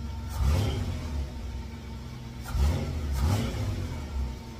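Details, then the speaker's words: 1954 GMC COE truck after setting ignition timing to 8 degrees and new spark plugs: engine blips up cleanly three times and settles back with no stumble or misfire; healthy throttle response. "timing is set the RPMs I like I like where that sounds so let's try the throttle response"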